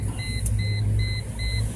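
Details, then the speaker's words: Mercedes C240 after new door switch install for intermittent alarm: steady high chime about twice a second over low engine hum; key-in-ignition warning sounds normally, steering wheel retracts, switch works. "hear that noise behind me that is telling me that the key is still in the ignition and the steering wheel just when removed to its home position because it now knows the door is open"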